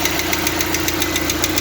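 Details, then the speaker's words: Lada Largus/Vesta engine, warmed up, with the oil pressure lamp lit and pressure dropping toward red. Light crisp ticking about seven times a second up at the valves; hydraulic lifters are clattering from low oil pressure. "потёк не вижу компенсатор всё также щёлкает"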